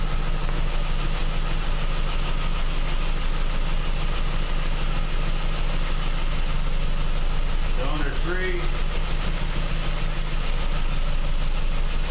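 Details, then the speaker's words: 2001 PT Cruiser 2.4 petrol four-cylinder at idle during a power balance test pulling plug wires one at a time; uneven loping beat with stumbles, all four firing but some weaker, misfire at idle, cause not yet found. "so as you seen with that quick Power Balance test all four cylinders are firing some are more impacted than others"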